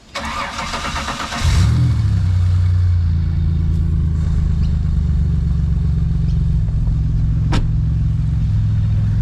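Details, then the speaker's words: Turbo Ecotec-swapped BMW E46 with E46 rods and pistons, built transmission, running about 14 psi boost: engine catches after a brief crank and settles into a smooth, steady idle with no knocking or misfire; healthy. "running about 14 psi at the moment. Sounds good, sounds happy, drives happy, and I'm happy."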